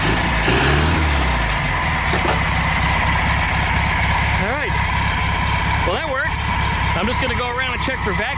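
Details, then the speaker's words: VW Super Beetle air-cooled engine on its first run after reassembly, on straight 30-weight oil, about 70°F: an even, rattly idle with a steady beat and no misfire gaps, sounding like it runs on all cylinders; vacuum leaks still to be checked. "otherwise it sounds like it's running on all cylinders"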